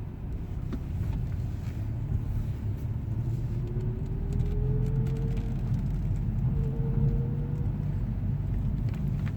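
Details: 2010 VW Scirocco 2.0 TSI with DSG gearbox: faint rising whine climbing with speed over low road rumble, only in 1st and 2nd gear at low speeds and only when driving.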